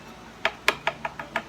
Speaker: Two different tones. Ba ba ba ba. Ba ba ba ba. When ba ba ba ba sounds the same as ba ba ba ba, then that's when you know that these are the same thickness.